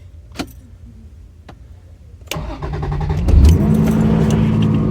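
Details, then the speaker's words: Toyota Cressida MX83 after engine swap and auto-to-manual conversion, first start after about a week in Minnesota weather; brief crank, catches at once and settles into smooth idle; normal start. "fires right up toyota reliability love it"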